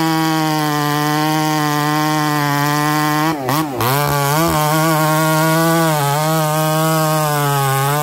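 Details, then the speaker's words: Husqvarna 288XP clone chainsaw at full throttle cutting: steady whine that dips and wavers as it bites, chain going dull because the aftermarket bar oiler isn't feeding oil; owner plans to fit a good OEM oiler. "oh okay I'm sure you guys can see and hear it change starting to go dull Euler's not doing its job"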